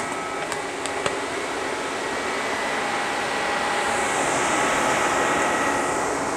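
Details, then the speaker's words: 1996 JDM Honda CR-V RD1 with a K24A3, AWD: both radiator fans forced on through KPro by setting the fan threshold to 50°F (sensor reading 55°F). Even rushing air with a faint steady hum that builds and holds; normal fan operation. "that's both fans on and it is glowing pulling air in through here yep"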